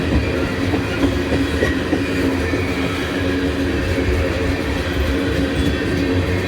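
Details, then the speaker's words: Heavy freight train passing at Abbeville: a steady, low droning growl under the wheel clatter. The rail growl comes from grooves left by rail grinding. "If you hear how noisy the wheels are, that's cuz they grind these rails down. That leaves little grooves in. That's why the rails ain't huming. They're growling."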